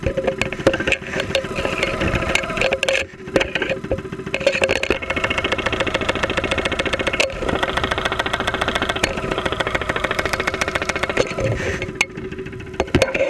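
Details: 2001 Saturn SL2 at idle, stethoscope microphone, after being run with very low oil; not run for two months and hard to start; oil pressure about 35-40 psi at idle. Sharp, rapid ticking knock, roughly three to four per second; internal knock, cause unconfirmed.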